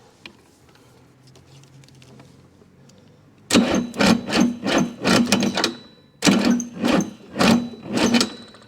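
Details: Chrysler/Mitsubishi 6DS70 marine diesel that sat years under a tarp in a barn, fuel primed with a primer pump, on weak jumper batteries. Slow, laboured cranking under one stroke a second with a few puffs but no catch. Cause suspected, not confirmed.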